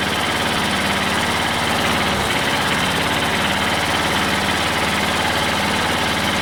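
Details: Old Detroit Diesel two-stroke four-cylinder dozer with a loud, lumpy, thumping uneven idle while warming up on the Bon Ami trick. It runs on 2 of 4 cylinders (compression was 150/90/0/0), possibly from stuck valves.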